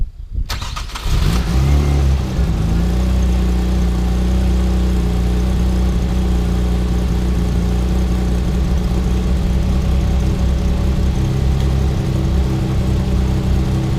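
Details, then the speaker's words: Mazda KL-DE 2.5 V6 swap, cold start in diagnostic mode, timing checked at 10°, idle air screw three turns open: steady, fast, even idle right after the engine catches; normal cold fast idle, no knocking. "got a fast idle going at the moment cuz the engine's cold see what happen when she warms up"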